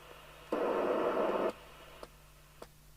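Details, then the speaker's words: Catswhiskers CW1580P CB27/81 CB radio after extensive repair: one-second steady receiver hiss over quiet background then stops with a few clicks; normal hiss with a one-microvolt test signal, tone off. "i'll take the tone off now we've got a hiss turn the volume up so you know you've got that that's one micro volt"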